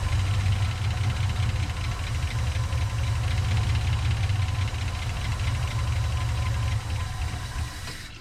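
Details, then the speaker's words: 1963 GMC service truck V8 running only on bottle-fed fuel: heavy uneven rumble for several seconds, then sags and dies; fuel pump not picking up fuel, though owner thinks the pump is okay and suspects a dry tank; stalls without fuel supply. "only run if I bottle feed it I'm not getting any fuel so that fuel pump's not not picking up fuel"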